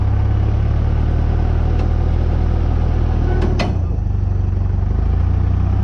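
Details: 1951 Oldsmobile 88 303 V8 parts car, warmed up after cold compression test (weak cylinder rose 110 to 170 psi when warm): deep, steady idle rumble with even beat, no knocking or ticking; healthy.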